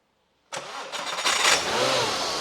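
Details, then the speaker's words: Audi turbo sleeper build, first start after intercooler fit and throttle calibration: engine cranks and catches right away, then settles into a quiet, even idle with no knocks, misses or rattles; sounds healthy, normal idle. "it's really quiet it is quiet it SS Stu no ter it sounds healthy it sounds healthy nothing's falling off yet"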